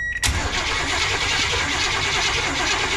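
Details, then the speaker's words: 1986 Chevy G20 van V8 that sat 5 years: fast steady cranking but it never fires, no spark at the plug. "So we're not getting spark at the spark plug."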